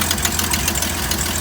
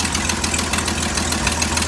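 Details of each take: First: 1972 GMC tow truck after sitting 22 years: steady, even idle with smooth regular exhaust pulse, slight exhaust leak, no blow-by, knocks or misses; a healthy engine. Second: 1972 GMC tow truck parked since 2003, first run after sitting 22 years: light, fairly regular tick about three times a second over a steady idle; a small exhaust leak is suspected but unconfirmed.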